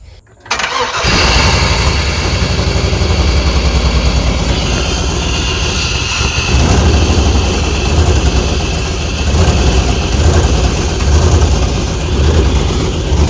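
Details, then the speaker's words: Early-2000s (about 2001) Chevy Tahoe 5.3 V8 with 4L60E, bought as a parts truck, fed carb cleaner spray: cranks and catches, then runs an uneven, lumpy idle that clears up after a few throttle blips. Rough running on starting fluid. "Well, I think that was good enough. It cleared up a little bit. I gave it a little throttle, but the old car cleaner stopped spraying real good. But at least we know the motor runs"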